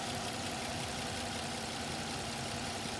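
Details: 2006 Suzuki Vitara petrol engine idling steadily, slightly high, with a constant airy hiss from a vacuum hose unplugged to create a leak; MAP voltage rises and fuel trims add fuel.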